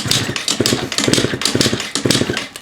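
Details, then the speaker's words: Yamaha Vino scooter given away as blown up, carb just cleaned, no airbox, no upjet so running lean, auto choke cable broken: starter churns in quick bursts with weak puffs but never runs; fuel and spark both confirmed. "sounded like it wanted to fire up the first one. I don't feel any fuel coming out."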